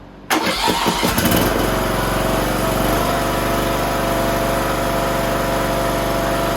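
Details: Toro Z420 TimeCutter zero-turn mower with swapped motor, now fitted with a conversion carburetor, choke working: a few quick cranking pulses, then fires cleanly and settles into a smooth, steady idle; starts and runs healthy.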